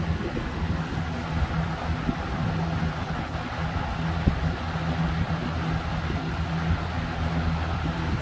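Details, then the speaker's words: Air King 20-inch box fan, model 9723, Marco motor, running on medium: steady low motor hum with an even airy rush, no rattle or wobble. It runs normally, just noisy. "This fan is pretty noisy. I'm not gonna lie, the Marco motor is a noisy one."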